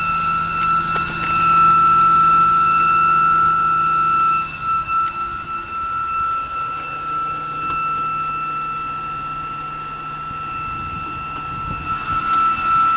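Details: BMW E92, engine running: loud, steady high-pitched whine from the engine bay holding pitch over the motor; recently developed, source unknown, awaiting mechanic.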